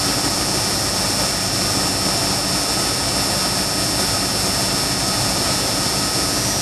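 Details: 1996 Dodge truck 5.2 L after misfire repair (P0300, P0301) with tune-up, new spark plugs and replaced coil wire that was shorting on the exhaust manifold: steady even idle, smooth hiss, no misfire, codes cleared.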